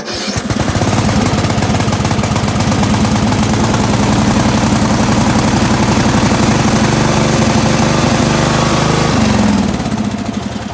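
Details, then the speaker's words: Used Craftsman riding lawn mower, started with clutch in and choke: steady single-cylinder thump at fast idle, no misses, knocks or rattles, settling smoothly; sounds like a good engine, check it doesn't smoke or backfire. "that sounds like a good engine. And you also want to make sure it doesn't smoke."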